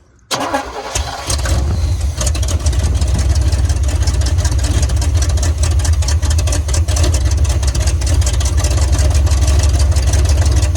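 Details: Square-body Chevy V8 run for first time in years on rebuilt carburetor, throttle set slightly open: fires right up after a brief crank and settles into a steady, deep, rumbling idle with no knocks or misses.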